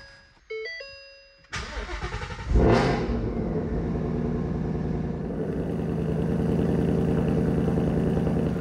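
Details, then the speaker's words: Wrecked supercharged RTR Ford Mustang, Coyote 5.0 Gen 3, first cold start with intercooler heat exchanger bypassed; quick crank, catch and flare, then smooth even idle with faint supercharger whistle; engine very quiet, healthy. "werden warten, bis das Ding warm wird, aber zunächst klingt es absolut fantastisch, was ist der zweite Test, den es bestehen muss. Man hört nur ein kleines Pfeifen vom Kompressor, was großartig klingt, aber der eigentliche Motor selbst ist extrem leise."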